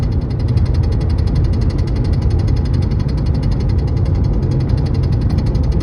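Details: 2012 Volkswagen Passat at highway speed, around 75 mph: fast, even light tapping about ten a second from behind the dash over road rumble, regardless of AC; returned after a fuel filter replacement, once stopped in cruise control; cause unknown.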